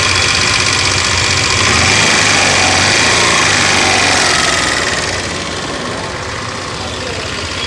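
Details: TVS Scooty Pep+ after fixing starting problem (kinked petrol hose replaced, new spark plug, test battery; clutch roller kit changed): loud even fast single-cylinder beat settling to quieter steady idle; healthy running.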